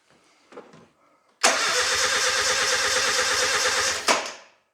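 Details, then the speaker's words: Nissan 910 Bluebird wagon, engine first start attempt with 10 litres of fuel; steady starter churning about two and a half seconds, no catch or firing; fuel confirmed, no spark found; crank no start. "That didn't sound good. Could have just been compression."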